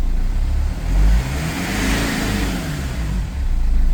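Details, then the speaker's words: BMW E46 M47 110kW diesel after MAP sensor replacement (damaged sensor had caused total boost loss) and new injectors: revs up and down with a deep, steady drone and faint rising whoosh; turbo now spooling properly. "Oh, I can definitely hear the turbo. Oh yeah. Okay, so the turbo is working, so I fixed the problem."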